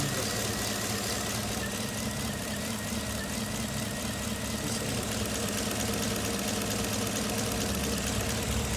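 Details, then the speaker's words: 2015 Chevy Camaro V6 with codes P0206 and P0300: uneven, loping idle with about two stumbles a second from a cylinder 6 misfire. Disabling cylinder 6 changed nothing, pointing to a dead injector 6. "Aquí vamos a encender el motor para que se vea la inestabilidad en ralent"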